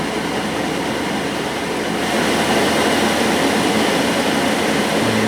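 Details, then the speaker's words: JP Heaters 2kW diesel air heater in a bus, thermostatic mode: steady airflow steps up louder as the fan speeds up once output air gets hot; fan constantly adjusts speed; normal blower behaviour. "just heard it crank up that's because the temperature inside has reached a point where it's blowing out quite hot here i think as the air temperature increases it will reach its full fan speed and just constantly adjusts its speed"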